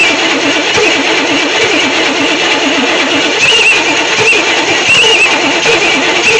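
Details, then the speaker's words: 1964 Chevy Impala SS convertible after 35 years in a shed: loud cranking with uneven catches that won't pick up, faint whistle; so close to starting, weak spark suspected, gas seeping between carburetor and intake manifold. "come on so close okay well this thing is so so close to wanting to start but it just won't push over that last little Edge"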